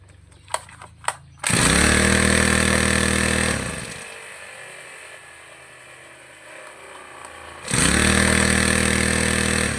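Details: Two-stroke lawn trimmer with a cleaned carburetor, after tuning the idle and mixture screws: a couple of cord pulls, then it catches, revs high, drops to a steady idle and revs again cleanly, running normally.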